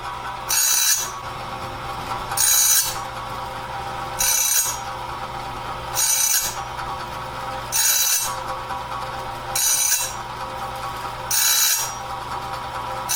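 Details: Clarke heavy-duty sawmill blade sharpener on its first run, doing the first sharpening of a 2-inch-wide, 223-inch bandsaw blade at slow speed, wheel lightly kissing each tooth; bright hissing grind bursts about every two seconds, a normal sharpening pass.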